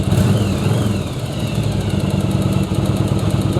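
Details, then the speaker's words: Second-gen Yamaha Virago V-twin after carb sync, spark plug check and air/fuel mixture adjustment: deep, steady thump at about 1000 rpm, even firing with no popping or spitting; healthy idle. "popping or spitting or anything like that idle's good right at about a thousand rpm"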